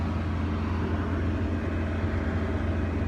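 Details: Toyota Supra that previously would not turn over and showed no spark, now running after the alarm system kill switch was found and unplugged: a steady low hum with no misses, knocks or surging, running smoothly.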